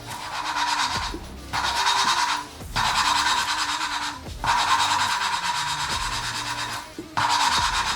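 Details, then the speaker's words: Nissan VG30 cylinder head for a 1000HP build, valve being hand-lapped: bursts of back-and-forth rasping with short pauses; the gritty texture settles into an even, smoother rub as the valve seat laps smooth. "if you listen really closely as I'm grinding the valve you can actually hear it go from a really gritty texture to a really smooth uh"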